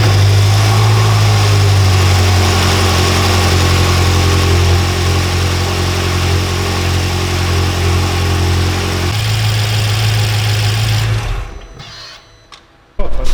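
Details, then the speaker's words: BMW M6 with the S63 twin-turbo V8, started after the misfire repair with the intake still open and air mass meters not yet fitted: strong, steady, even idle with a brief rev and no stumbles; runs smooth. "so it runs smooth."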